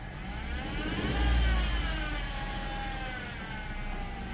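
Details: JK Wrangler with a whirring drone up front that rises and falls with engine speed, from a bad accessory-belt idler pulley bearing; replacing the idler pulley removed the noise.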